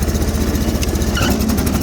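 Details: Sears Suburban snowblower with a 20 HP Briggs V-twin running on crankcase fuel, warmed to change the oil: lumpy, jerky, uneven thumping with gaps between pulses. Running on one cylinder, a recurring issue.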